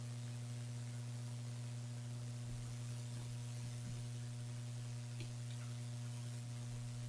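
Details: Mini PC build with Gigabyte RTX 2070 Mini, delidded i7 8086K at 5GHz and HDPLEX 400 power supply: quiet steady low buzz with faint hiss, no fan rush; electrical hum, source uncertain, cause suspected, not confirmed.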